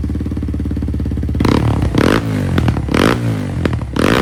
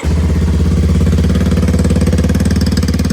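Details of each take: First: Kawasaki KLX230 single-cylinder after ProCircuit full exhaust install, untuned, just idling: uneven idle with sharp popping backfires on blips and decel crackle; dangerously lean, EGR delete not expected to fix it. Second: Kawasaki KLX230 single-cylinder, cold start before ProCircuit full exhaust install: fast, steady high idle with crisp exhaust beat, no knocks or rattles; normal cold-start high idle.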